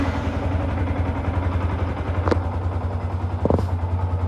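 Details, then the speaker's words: Yamaha R15, rarely used, first start after an oil change following 5 years without one (only about 100 cc old oil left): low, even idle putter, smoother, no rattle or knock; normal idle. "Ini suara mesinnya setelah saya ganti oli kemarin ya. Udah sedikit lebih terasa lebih halus suaranya dan tidak ada tarikannya lebih enteng karena olinya beli baru, tarikan enteng."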